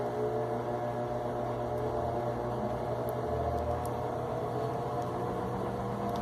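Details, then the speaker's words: Electrolux LTE12 washing machine during high spin and stopping: steady droning whir with rough grinding undertone; loud noise when stopping blamed on faulty wash arm/agitator, not ratchet or tub cover already replaced. "é sempre quando para como se fosse a catraca como se fosse desgaste na tampa da caixa e não é é falha no braço injetor"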